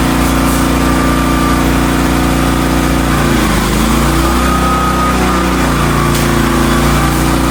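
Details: Hotsy steam pressure washer with 16 hp gas engine, bought non-running, after igniter wire/electrode repair with burner lit: steady, even engine drone at constant pitch, no misses or knocks; healthy under load.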